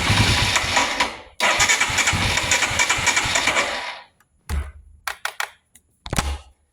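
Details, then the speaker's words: 2022 Royal Enfield Himalayan intermittent no start, relay swapped and kickstand and kill switches ruled out: steady starter cranking for four seconds without catching, then brief bursts; fuel pump heard kicking on only a split second, failing pump suspected. "Oh, you heard it there. It did it for a second. You heard the pump kick on for about a split second."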